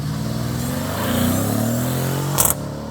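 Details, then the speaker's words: 2018 Mercedes-Benz GLS63 AMG on road test after fixing loose hose and unplugged sensor: strong clean pull, engine note climbing smoothly under hard throttle, brief tire chirp, even boost, no hesitation; fixed. "Oh, it's already way faster. Oh, it just spun the tires."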